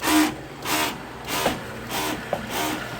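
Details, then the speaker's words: Splendide 2100XC washer filling with hot and cold water for its first load: loud pulsing surges about 1.5 per second, each a harsh rising whir; abnormally loud water pump. "machine is filling up with warm water for its first load and if that's how that pump sounds all the time when it's running I'm going to lose my mind"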